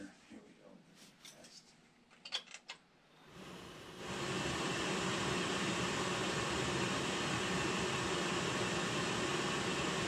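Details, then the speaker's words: Whole-house fuel oil furnace after changing the primary oil filter, bleeding air and readjusting the burner air: clicks, ignition, then a steady even roar with faint flutter, staying lit longer than before; normal burner operation. "readjust the air too staying on a lot longer doing more than it did last time"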